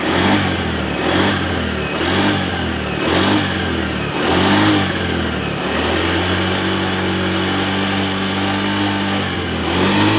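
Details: Honda Beat FI scooter after light overhaul for blue smoke from late oil change/oil starvation damaging piston: clean, even rev blips settling into smooth steady idle, no knock or rattle; engine sounds healthy.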